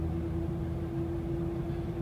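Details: 2006 Dodge Dakota quad cab 4x4, 4.7 L V8, automatic, new rebuilt front differential, tensioner, power steering pump and rack: steady howl under light acceleration around 40 mph, gone when coasting, seemingly from the front; cause unknown.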